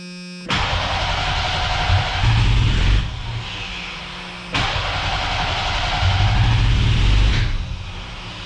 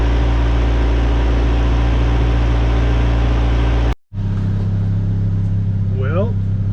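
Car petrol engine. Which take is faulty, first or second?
first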